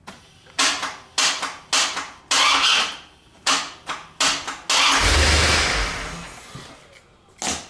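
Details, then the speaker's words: 1992 Corvette, battery good and headlights bright: repeated loud clunks/clicks each time the key is turned, engine never cranks; faulty starter, replacing it fixed the no-start. "so you can see I got plenty of juice to start the car but it's clicking and from my experience with my other Corvette it was the starter"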